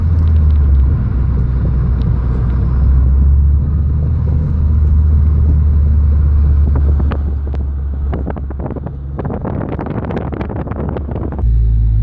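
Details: Heavy road rumble inside a moving car, then irregular suspension clunks and rattles that returned; owner suspects loose sway bar end link nut, and tightening it did not cure the noise once the wheel was back on.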